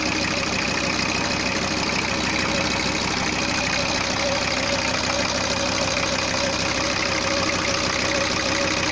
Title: VW T4 2.4D - first start after head rebuild